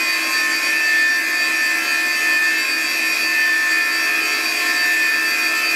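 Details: Classic DEC (Digital) hard drive spinning in a holder: steady high whine with several fixed pitches and faint hiss, no clicks or knocks; owner suspects abnormal drive noise, cause unclear, considering cleaning it.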